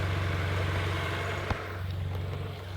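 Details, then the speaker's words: Honda Prelude daily build, first start after valve lash adjustment and cam gear install, small exhaust: low steady idle with even beat, no misses or knocks; four-cylinder running smoothly. "so yeah that's basically it it's running pretty good it's got it like got it little neoc exhaust on like down there"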